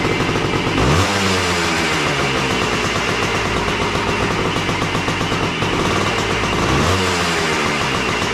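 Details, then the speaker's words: Yamaha AT3 two-stroke, previously died after 20–30 seconds; ignition coil replaced, fed from a temporary fuel hose. Kick-started, it catches with a rising crackle and crisp throttle blips, then buzzes along steadily. Normal running. "Heat up here. Did we use up all the gas? Looks like it seems like it's going to run."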